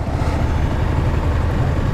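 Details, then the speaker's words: Yamaha Sniper 155 motorcycle, stopped at idle after a ride, running a new coolant brand: steady, low, even idle with no fan whir; engine heat minimal and the radiator fan stays off, unlike the previous night. "So hindi umandar yung radiator niya, hindi kagaya kagabi na doon pa lang sa may harap ng tawag dito, tulay doon sa Tacorong, umaandar na yung radiator fan."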